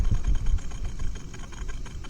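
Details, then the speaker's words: 2006 Ford F250 HVAC blower motor, bench-tested with leads straight from the battery: the motor whirs unevenly, randomly picking up then stopping, surging and sagging before dying down; shorted blower motor, then replaced with a new one. "does nothing so it will randomly and then it just stops then it picks up and then it just stops she tells me she's got a short in the"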